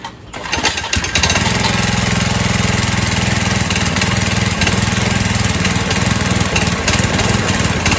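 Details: 1970s trike, believed MTD Mud Bug, replacement John Deere ~5 hp single, sat 5–10 years, after carb float bowl now filling with fuel; fires within a second, steady busy putter with no misses; running normally.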